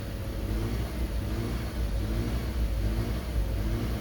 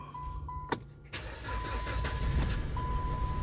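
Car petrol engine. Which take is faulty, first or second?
first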